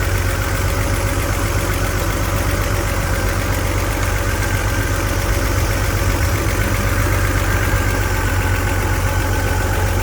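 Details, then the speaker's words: BMW E46 imported from the USA, rough uneven idle with a stumbling beat about four times a second; single-cylinder misfire, diagnosed by swapping ignition coils and checking spark plugs. "მოკლედ ერთ ცილინძრზე გვაქვს მერენგოი"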